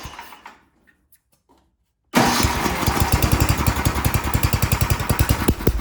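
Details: Ariens snowblower sat years in barn, after fitting a temporary fuel line: two seconds quiet, then catches and settles to steady even chugging, no misses or stumbles; runs like a champ, normal.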